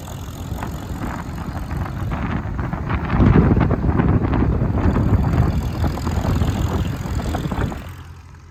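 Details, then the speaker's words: Engine just back on the farm after extended leave, revved and idled down repeatedly to help seat the rings: a rough low rumble swells as the throttle opens, then eases back toward idle, with no knocks or misses; running good. Normal rev and idle. "hat's what he's trying to do he idles it down and then brings it back up and runs it for a little bit then idles it down brings it back up keeps doing that but she's running good"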